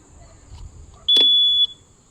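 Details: Rajdoot motorcycle after full restoration, 12-mode hazard switch: a single sharp high-pitched half-second beep over quiet background; hazard switch buzzer working normally.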